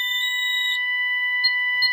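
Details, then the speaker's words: Ademco 6139R alarm keypad, police zone activated while armed stay: loud, piercing high yodeling tone held continuously, the intrusion alarm; earlier stuttering suspected to be a power issue, unconfirmed. "Now you can hear it yodeling, and it's very loud."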